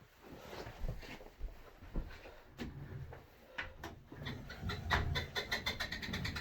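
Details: Sole E25 elliptical trainer: irregular loud creaks and squeaks that speed up as it turns, persisting after regreasing joints and lubing rails and with the foot bars disconnected; owner suspects the noise comes from inside the flywheel.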